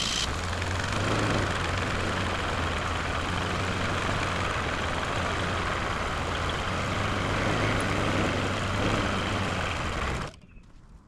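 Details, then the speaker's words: Dodge Caravan engine filled with water instead of oil, restarted after dying, held at full throttle: a low, labored drone that stays flat near 500 rpm, never climbs, then cuts out. The owner suspects no compression, fouled plugs or ring damage. "I had the gas pedal pushed all the way to the floor that entire time and it never got above like 500 RPMs so I don't think it has any compression"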